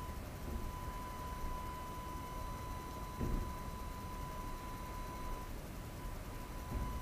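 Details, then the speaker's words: AFI VS-3SG 3-axis handheld gimbal recorded at night with no surrounding sounds: thin steady high tone from the gimbal motors whining into the camera microphone over a quiet background. "we'll see uh what that sound uh is like the sound this gimbal Mak so I'm just going to show you an other clip I shot at night so there was no surrounding sounds"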